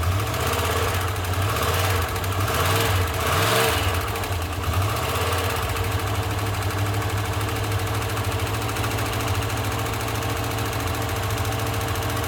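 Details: 1991 Jeep Grand Wagoneer AMC 360 V8 on a cold start with belts removed to rule out accessories, idling with a steady low knock that follows engine speed; source not yet pinned down.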